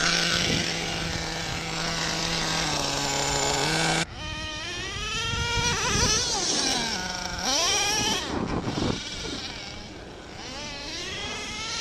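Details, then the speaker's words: Used Redcat Earthquake 3.5 1/8 nitro truck, .21 big block: high buzzing revs rise and fall, then sag and hesitate on throttle, needle at about 2.5 turns out, running rich; owner plans to lean it out; bogging from rich low-speed needle. "I'm at about two and a half turns out right now and seems to be running okay it does bog down I know you saw that in the video and that's okay"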